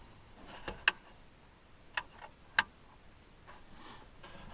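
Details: 1999 Dodge Ram 1500 Sport overhead console map light, repaired after its switch spring broke by fitting new LED-lit toggle switches: three sharp, crisp clicks about a second apart in a quiet cab, each clean and positive; the switch works properly.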